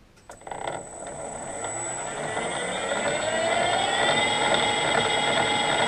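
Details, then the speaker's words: Harrison M300 lathe, run in gear with the selector removed. Whining drive rising in pitch with a steady repeating knock, about three per second. Knock from the gearbox; the wheel itself is suspected. "the knock's still there as you can [Applause] hear the knock's still there so it's possibly the wheel itself"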